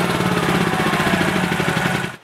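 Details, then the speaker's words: Honda GX390 single-cylinder generator engine, auto throttle switch off: an even but slowish thumping with no surging; rpm below the usual 3600 target, checked with a tachometer before the speed adjustment. "now the issue with this generator is that the engine RPMs are a bit slow"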